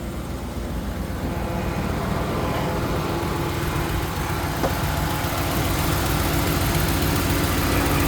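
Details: 2016 Dodge Ram after replacing the oil pressure switch and clearing code P0521: steady, even low rumble at idle with no knocks or ticks, check engine light off and no oil leak; idling smoothly and healthy.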